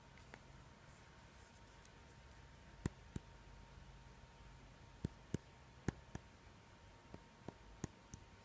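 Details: Xiaomi Mi4C phone: sparse, irregular light clicks and ticks from the upper housing, not the side buttons. Calls also sound slightly distorted; owner suspects a loose internal part vibrating when the speaker operates.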